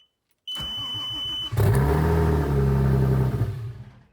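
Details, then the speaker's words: Audi A4 with S4 swap, after an immobilizer-off attempt with the immo light still blinking: a chime, then it cranks, runs unevenly about two seconds and stalls. The owner suspects throttle body adaptation is needed; unconfirmed. "Bon, donc ça démarre. Alors ça cale toujours, mais je pense savoir pourquoi. Je pense que c'est dû à l'adaptation du papillon qu'il faille faire."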